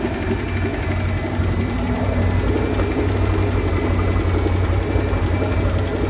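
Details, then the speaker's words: 1968 Plymouth Fury 318 V8 with one-barrel carburetor, barn-stored and unrun for decades, newly revived: rough uneven idle with fast light ticking up top; owners suspect a lifter, unconfirmed. "I'm gonna say a lifter sure sounds like it I hope so"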